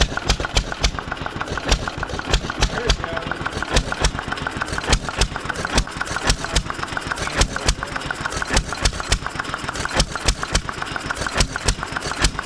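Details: 1920s Taylor Model B hit-and-miss vacuum engine, long unused, restarted after fuel work, choked to burn old gas; loud sharp exhaust pops in quick uneven beat, starts and keeps running steadily, not very hot but steaming in heat.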